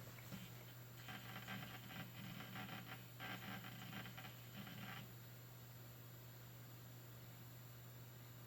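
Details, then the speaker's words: Old external hard drive (IDE or SATA uncertain), powered up on the workshop PC: low steady spin hum, then a few seconds of quick chattering clicks that stop; normal, healthy spin-up and seeking. "on espère que vous entendiez entendiez très bien le disque dur extérieur c'est parti"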